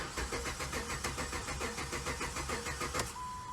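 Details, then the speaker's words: 2007–2009 Dodge Charger no-start after new fuel pump installed: even cranking about 3.5 beats per second, no catch and no pump prime hum; pump not running because harness wires are swapped. "so what i don't hear i don't hear the fuel pump come on there's no prime because you would be able to hear dude and i don't hear it right now either"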